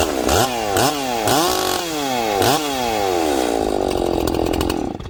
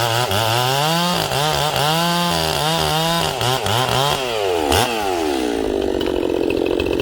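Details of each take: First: Freshly ported Echo 670 chainsaw on its first cut, 25-inch bar, 3/8 chain, low jet leaned about a sixteenth turn, run rich for break-in: crisp throttle blips then a strong steady pull in the wood; normal running under load. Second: Ported Echo 670 chainsaw with a 24-25 inch bar, first cut during break-in, no choke. Screams hard in the cut, pitch dipping under load and rising clean; slightly lean high-speed tune for break-in, so more high jet is needed.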